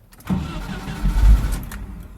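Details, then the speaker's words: 1988 Jeep Comanche Renix 2.5L I4: cranks, catches briefly, runs about a second then dies without throttle; starts only with gas; idle speed motor (throttle stepper) suspected stuck shut. "But we have to give it gas in order for it to start. Here, I'll show you. So, take her out of park and crank. It starts, sorta, but it instantly dies."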